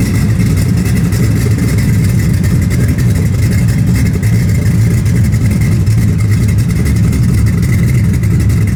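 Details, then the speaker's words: V8 with new exhaust welded up: deep loud burble with an uneven puffing pulse at low speed; still loud and has an exhaust leak to fix. "yeah I gotta fix that exhaust leak but I mean it's it's still loud but it's not crazy loud"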